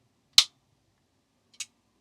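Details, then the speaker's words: Transformer soft-start circuit with NTC thermistor and relay bypass, 12 V supply: one sharp click then a softer click a second and a quarter later, no chatter; relay switches cleanly. "Going to put the microphone close so you can hear the relay."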